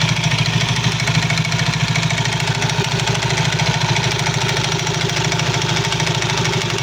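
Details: Soul GT 115 scooter CVT knocking at idle: loose rhythmic clatter about three knocks a second from the belt drive; suspected looseness or wear of certain CVT parts, not yet confirmed.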